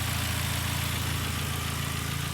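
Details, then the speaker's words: Ford Focus after motor mount replacement idles low, even and regular with no stumble or hunting; smoothest idle since the earlier issue. "so it's never sounded this good or idled like this since we had this little issue so i definitely say that's a in my book"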